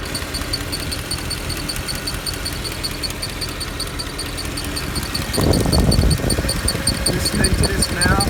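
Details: Mercedes E63 idling with a fast, faint high-pitched ticking about four a second over the rumble; abnormal noise that appears to come from one of the fans, unconfirmed.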